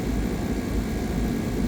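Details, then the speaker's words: Lennox 10-ton R-410A rooftop AC, running for a while with probes attached: smooth, steady low hum and fan rush with no rattles, squeals or cycling; the unit sounds healthy and even. "All right, we are all probed up and it has been running for a while."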